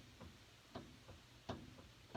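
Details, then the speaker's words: 2011 Ford Ranger with steering that wanders on uneven pavement: soft dull clunks, about one every three-quarters of a second, as the front wheel is twisted by hand; the worn upper ball joint is confirmed, not the tie rod, and the lower joint is possibly worn. "So when I do torque it, twist it, I can hear it. I can feel it. Same sound. There's a chance that the lower ball joint is starting to wear out, but there definitely is something going on with the upper ball joint."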